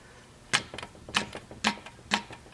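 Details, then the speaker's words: 1959 Clinton chainsaw, old and beat up: the manual chain oiler plunger, its seal dry-rotted, is worked by hand with crisp, clean clicks roughly every half second; the pump sounds like it works all right. "it's got a manual Oiler which this is all dry rotted away I'm sure you can't get that part but it does sound like it works all right"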